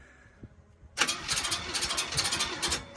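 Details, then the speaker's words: 1965 Acadian Beaumont V8, first start after sitting, on poured-in fuel: the engine catches and runs rough with a fast, irregular metallic scraping. The cooling fan is rubbing the transmission line near an already damaged radiator. "Okay, something's rubbing. Don't want to hurt that rad any more than it's already been done. Where is it hitting? Oh, it's hitting the transmission line."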